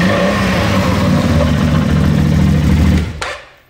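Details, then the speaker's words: Used CF Moto X8 ATV with bent steering shaft and suspension problems: low, uneven, rough churning drone under revs, then dies away; the CVT variator makes an unpleasant noise, variator repair planned. "she has a problem with the variator, the variator makes an unpleasant sound like this"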